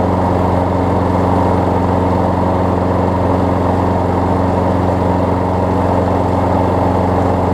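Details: Craftsman six-horsepower front-drive self-propelled push mower after new pull rope, spark plug, air filter, belt refit and lubed self-propel cable: steady, even single-cylinder drone with no surging, misfires or rattles; runs well, self-propel works as designed.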